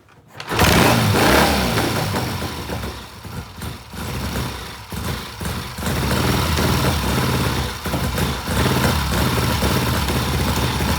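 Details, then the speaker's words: 1967 Triumph twin during timing work, dying on throttle: after firing, ragged beat surging and sagging with no steady rhythm, sounding far worse than days before; rough running, cause not found. "And yeah, you're right. It sounds terrible. Yeah, that is not how it sounded the other day."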